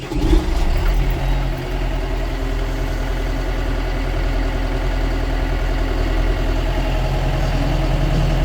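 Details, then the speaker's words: John Deere 6005R tractor diesel started after hydraulic oil change to check hydraulics: deep, steady rumble with even beat, no knocks or whines; running smooth and healthy. "Yeah, that's all working. Lovely. Nice and smooth. Lovely."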